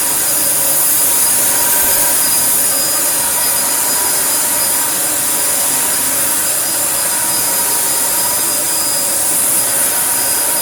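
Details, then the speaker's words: Filthy Dyson DC01 Breakthrough limited edition, 1000 W motor, unused 15–20 years in a car workshop: loud, steady rushing roar with a high whine on top, even throughout. Strong airflow despite loose glass rattling inside. Healthy motor and fan. "i was expecting this to be rubbish but wow that doesn't that just seem to work okay"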